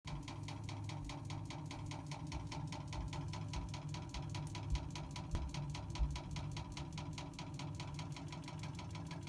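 Quick, even ticking knocks about eight a second over a low hum, steady throughout; the meter is knocking while water runs, cause unclear.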